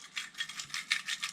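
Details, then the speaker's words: Motorcycle crankshaft out of the crankcase, turned by hand: a dry metallic rattle pulsing about five times a second from a worn needle-cage bearing with play in the connecting rod big end. "on a dit bon on sent quand même qu'il ya un petit bruit on va pas se mentir un petit bruit de villo"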